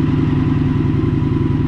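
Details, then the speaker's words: 2022 Indian FTR 1200 base twin with new NOCO lithium battery, charging about 14.1 V, revved: deep, even mellow burble swelling smoothly with throttle, no knocks or rattles; healthy engine. "all right I couldn't end the video there it's been a while since I did a little Rev on this"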